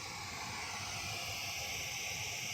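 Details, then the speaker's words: AD NUX 15a active powered speaker fed from a mixer line out: loud, steady, even hiss with no hum or crackle while the input button is down; raising the button (marked mic) removes it, so the button markings appear reversed. "Iparinig ko lang ulit sa inyo mga ka-sounds ha. Ayan oh, maingay oh. Pinindot ko na yun ha, pero maingay siya."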